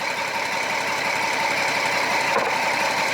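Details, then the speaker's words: 2007 Jeep Wrangler Rubicon Unlimited 3.8 V6, code P0302: rough idle with an uneven stumbling beat about three per second; cylinder 2 misfire from weak coil pack giving barely any spark, fixed by new coil pack. "but I'd say we have a bad coil because I can barely ever so likely get a spark going it this way"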